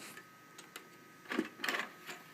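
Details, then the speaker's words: Compaq SR1750NX PC (Athlon 64 3500+) DVD drive test: quiet ticks and short whirring seek bursts over faint hiss, no grinding or rattling; drive reading normally. "Yeah, DVD drive works absolutely fine. Nice."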